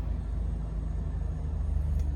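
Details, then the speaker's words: Toyota Highlander right after a dead battery was replaced: first start attempt dies, second attempt catches and settles into a deep, steady, smooth idle with no misses or knocks; idle may be rough for a few hundred kilometres afterward. "And as expected, the first start, it has just died. It's again. And it has started."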